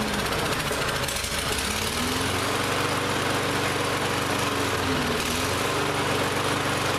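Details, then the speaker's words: Lawn-Boy mower that ran last season but wouldn't start this season: engine speed hunts up and down every second or two, never settling; runs rough because the carburetor is still partly gummed up, carb cleaner next. "so we've gone from a no start condition to it runs it doesn't run well so that tells me that carb is still a little gummed up"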